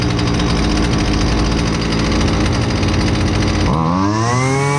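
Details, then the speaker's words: Husqvarna 128LDX two-stroke string trimmer, fixed after sitting unused, during high and low speed jet carb adjustment: buzzy high revs, pitch drops and climbs back smoothly as mixture is tuned; runs cleanly, normal. "Um I guess, you know, you'll be able to see how the machine reacts to rich and lean settings on the high and the low speed jets."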